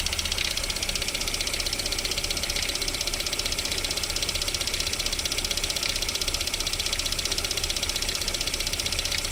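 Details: VAZ 21127 petrol engine at cold idle with a steady light knock about three times a second during warm-up; it disappears once the engine warms to about 40 degrees, cause unclear.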